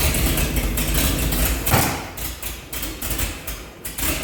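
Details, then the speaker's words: 1948 Chevy truck engine, first run in 30 years with diesel in the oil pan, warming with steam from the thermostat housing: rough, uneven idle with loose thumps and slight surging but keeps running. Judged normal for the engine's condition. "well we got her started all right so you guys heard a run you know she's running good"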